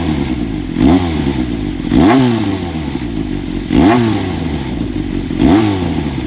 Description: CBX400F 規制前RPM低回転音の中にエンジン異音発見